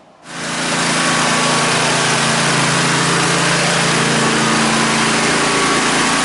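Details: 2003 Craftsman lawn tractor (917.272040, Briggs & Stratton) fitted with 1994 Craftsman snowblower attachment, wheel weights and tire chains: engine catches at once into a smooth, even single-cylinder drone with steady pitch; running normally.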